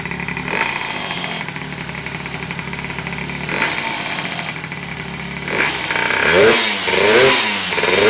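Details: Honda Elite 120cc stroker two-stroke scooter build at first start, after a broken motor ground wire was replaced. A buzzy two-stroke running on its own, with quick throttle blips that rise and fall cleanly and no misfire.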